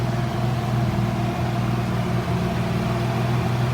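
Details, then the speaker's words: Ford Probe GT after new VMS plug wires and NGK Iridium IX spark plugs, warm after a drive: a smooth, even low idle hum with a steady radiator fan rush on top, no misses or knocks; normal. "Car started right up. Took it for a drive. Chilling. As you can hear, our fan just kicked on. And that's because, again, we went for a drive."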